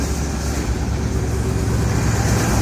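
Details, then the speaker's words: 1971 Ford F100 Explorer 302 V8, cold start: deep steady low rumble with even beat, no knocks or ticks; normal idle. "listen to that 302 engine"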